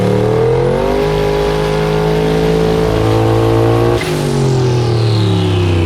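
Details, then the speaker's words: Engine pulling hard at high revs on the dyno stumbles briefly, then recovers and keeps pulling. The graph laid over and the air-fuel trace is erratic, so it looks like a misfire under load, possibly something more, though it did not dump boost. "Misfiring, but it sounded like, if you see the graph, it laid over, something else was happening, not just misfiring."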